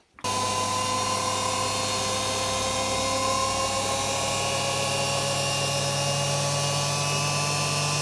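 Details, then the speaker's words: Beko WM5100W washing machine brushed commutator motor reinstalled after skimming rough commutator bars on a lathe and finishing with emery paper: smooth steady whirr, no brush scraping or crackle; seems a lot quieter than before. "so it seems a lot quieter to me what do you think is it worth it"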